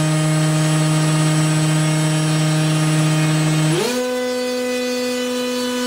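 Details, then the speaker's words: RC airplane electric motor with 23-inch drive shaft extension to the prop, bearings breaking in and loosening up when warm: steady, even hum stepping up smoothly in pitch with throttle, no roughness; sounds really good. "sounds really good"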